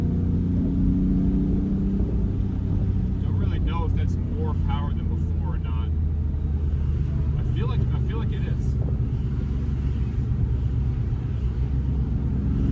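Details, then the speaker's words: 1990 BMW E34 M5 with stock S38 inline-six and stock exhaust, after fixing a low-rpm misfire, oil not fully warm, pulling in second gear to 4,000–5,500 rpm: strong even rumble with no stumble; normal engine under load. "okay second gear 4,000 5 and a half that feels good car does sound good I love this I love this engine it's a stock exhaust stock s38"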